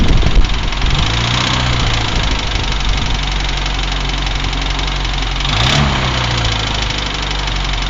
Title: Посторонний стук двигателя узам